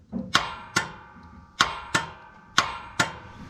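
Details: Wright Stander ZK 52-inch mower with Kawasaki FX850V engine, won't start: single sharp clunks about every half second with no cranking in between; the starter is faulty and was replaced.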